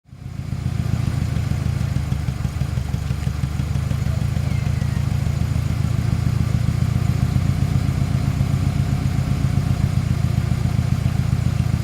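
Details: 1997 Ford Ranger rough, loping idle with a chuffing miss: compression test shows cylinder 1 dead at 60 psi versus 180 psi on the others; leak-down air escapes from crankcase breather, oil cap and dipstick tube, indicating cracked rings in cylinder 1.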